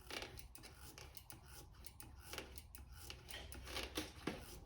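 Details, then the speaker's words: 2007 Suzuki GSX-R 750 front brake bleed: quiet scratchy clicks and squishes with each pump of the lever. The owner suspects the master cylinder, hoping it is just not fully bled yet; it may need a rebuild. "This master cylinder is questionable because you hear that sound? I don't like that. Hopefully it's just because it's not 100% letters yet."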